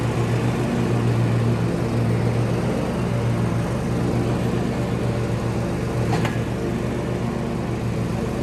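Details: Kohler-engined John Deere lawn tractor after fuel filter replacement to cure RPM surging, 5-year-old weak battery: steady low drone, even firing, no hunting or surging; normal running.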